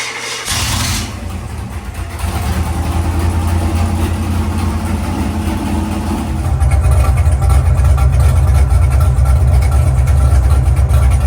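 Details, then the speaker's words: Carbureted V8 baseline dyno pull on the same tune as a month earlier: a deep rumble builds smoothly under load with no misses or knocks, making 446 hp against 444 before. Healthy and consistent. "so the same exact tuneup from a month ago it made 446 and that was 44 44 yes so we're within 2 horsepower it's a consistent little guy"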